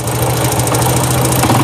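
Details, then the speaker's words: Honda Wave 100 idling in neutral: low, uneven knocking over the idle from a loose starter clutch, plus ticking on the magneto side; the knock goes away with more throttle. "Cái tiếng kêu tích tách này, nhưng mà nãy nó còn có một tiếng lỏng của bát đề nữa. Đấy, có cái tiếng cộc cộc nha"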